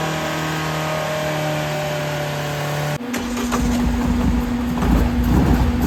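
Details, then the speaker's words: Restored Vauxhall Corsa B with rebuilt C20XE engine on carburettors, on the dyno after carb tuning: a steady, even note swells smoothly under load with no popping or misfire; no leaks or problems, 210 horsepower as expected. "The car's done us proud. No leaks, no problems. I'm well happy. It has made 210 horsepower, which is what we expected."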